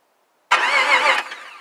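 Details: Chevy Caprice LS engine swap with factory standalone harness, first crank after fuse boxes and PCM reconnected: sharp burst as engine catches under a second then dies; no fuel supply yet, so it won't run.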